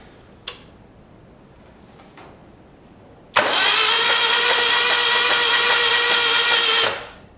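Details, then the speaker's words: 1975 Moto Guzzi T3 parked five years with fuel left in, cranked: a steady, even starter whir with no binding or clunks. The engine turns freely; a compression check is planned. "well that's something Le know it's not locked up too terrible it did turn"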